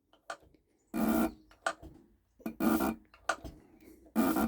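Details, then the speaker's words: Mercedes OM603/OM606 turbodiesel injector under test: sharp repeated bursts of harsh chatter with quiet gaps; injector chatters and sprays properly. "C'est pas idéal, mais ça grogne. Et puis, bah, c'est parfait."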